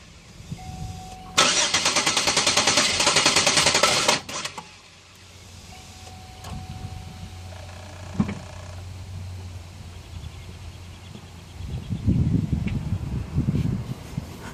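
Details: No-start with the old fuel pressure regulator fitted: fuel pressure reaches 53 and slowly leaks down to 50, where it holds after an hour off; about three seconds of brisk, even starter whirring, no firing.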